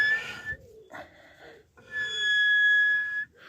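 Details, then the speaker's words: Wartburg front wheel turned by hand: a high squeal comes and goes. The front brakes look in poor condition and may be the source of an earlier scraping noise; cause suspected, not confirmed. "And the brakes are not looking particularly good and make this noise when you turn it over. Not a good sound, is it?"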